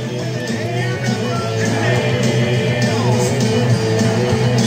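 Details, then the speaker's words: Panasonic 3DO FZ-1 after replacing a power supply capacitor, on for 20 minutes: rock game music with guitar plays smoothly without crackles, pops or dropouts. "so as you can see it's working fine oh yeah i should say it's been on for about 20 minutes now no sound problems at all"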